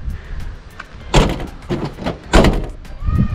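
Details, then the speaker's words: Kia Carnival diesel, rear sliding door being checked: several heavy thuds instead of one solid latching clunk, because it won't latch first time and needs two closes. Owner suspects it needs adjustment. "Nah, ini yang belakang ini punya saya, nggak mau langsung, perlu nyetel ini kayaknya harus 2 kali."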